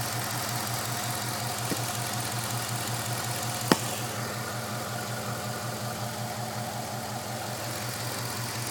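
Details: 5.7 Hemi V8 at a low, pulsing idle with an irregular shake and a stray tick now and then instead of an even purr; running rough at idle.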